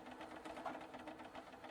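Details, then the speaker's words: Cheap retro Nostalgia bicycle after a bottom bracket replacement and chain guard reinstall: quiet, quick rhythmic scraping ticks keep pace with the spinning wheel. Spokes are rubbing on the chain guard. "And some of that sound is coming from the wheel. I think some of the spokes are hitting the chain guard."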